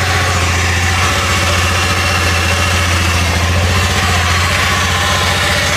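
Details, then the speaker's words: Honda Beat FI ESP scooter idling with a coarse, gritty churn inside the engine; oil present, no white smoke, still rough with the front pulley removed; mechanic suspects worn crankshaft bearings, possibly from unsuitable oil. "Ada suara kasar di bagian mesin kalau prediksi saya sih biasanya terdapat pada bagian laher kruk asnya ya"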